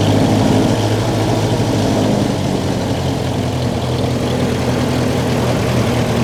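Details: Old Ferguson TE20 tractor, long in the family, idling before its 60-hour service (oil change and greasing): steady, even low chugging with no knocks or misses, running smoothly and healthy.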